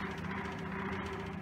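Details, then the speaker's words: 1923 Emerson type 57568 16-inch six-blade 50-cycle ventilator exhaust fan running at very low rpm: steady quiet hum with uneven wavering beat; motor racket needing attention and an out-of-balance blade; motor also doesn't always start. "does have a little bit of a motor racket that we need to take care of with it it's also got a blade that's out of balance and as you can see this is a very low rpm quiet piece of machine"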